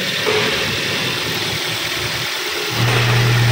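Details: 2010 Daihatsu Xenia petrol engine, oil warning light flickering, after fix the light goes off immediately and oil pressure rises: steady, even running with smooth clean rise in revs, no knocks or ticks; normal running.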